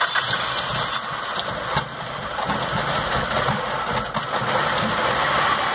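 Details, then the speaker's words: 2006 Trail 2.0 (Stratus) with a misfire, lack of power and shaking: rough, uneven, stumbling idle heard at the exhaust; one cylinder dropping out. "no sé si alcanzan a ver el temblor nos falla bastante del rey no tiene fuerza"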